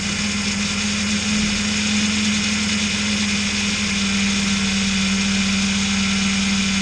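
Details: Car idling after its slipped drive belt, which caused overheating and a battery warning light, was replaced with a longer spare and the viscous fan coupling removed: steady mid-pitched hum with no knocks, rattles or squeal; normal idle.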